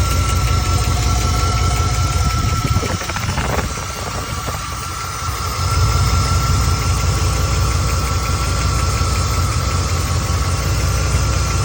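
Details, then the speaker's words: 1991 Chevy OBS truck 5.7 TBI V8 idling: light, fairly quick tick about three per second over the rumble; owner suspects the injectors, source not confirmed. "Anyway, I think the injectors sounds like it's here."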